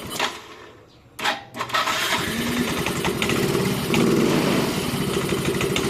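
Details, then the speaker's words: Yamaha Mio M3 125 scooter with an unstable idle, during compression testing: brief crank, then the engine catches and settles into a steady even idle with no hunting; an exhaust that seems to be a non-original aftermarket one sounds harsh. Normal idle. "kelihatannya ini bisa langsam dengan normal nanti kita lihat di scannya"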